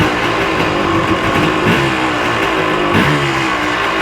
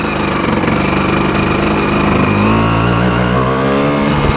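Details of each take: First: 1986 Yamaha Tri-Z YTZ250 two-stroke, just started and choke off. Crisp, even buzz with steady firing and no misses or rattles. Normal running. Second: 1986 Yamaha Tri-Z YTZ250 two-stroke six-speed, warmed up after a ride. Buzzy idle climbs and settles too high. Owner suspects the mixture screw is set too far out. High idle.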